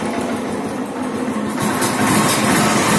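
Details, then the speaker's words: Motorcycle in neutral, first electric-start after installing a new starter (sprag) clutch and bearing: catches cleanly and settles into a steady, even idle with no knocks or rattles. Sounds healthy. "Let's start neutral smoothly start फ self start smoothly"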